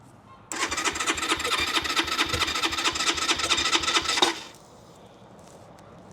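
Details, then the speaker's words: Keeway RKR 125 motorcycle, 6,430 miles, bought sight unseen: about four seconds of even cranking with no firing while the fuel pump runs and relays click. A weak battery is suspected; crank no start. "sounds like it wants start but this isn't looking good let's try it again come on so I can hear the fuel pump running so we're getting the fuel pump running getting relays clicking so it's obviously start trying to start"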